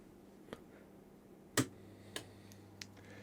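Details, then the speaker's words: Switch-on of a repaired Carroll & Meynell 10A variac fitted with a soft-start circuit, mains inrush measured under 2 A on a scope, no risk of tripping the 32 A breaker. Crisp relay click, then lighter ticks over faint mains hum; normal soft-start engagement. "but you can see both of those less than 2 amps, so the soft start circuitry is doing exactly as it should, and there should be no risk of it tripping the 32 amp break"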